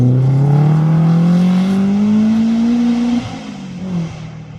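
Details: Toyota Starlet hotrod on slicks at a Curborough Sprint session, after chassis welds were repaired and fuel and ignition gremlins sorted: engine pulls cleanly, pitch climbing steadily through the gear before lifting off, smooth even note, no misfire or stutter.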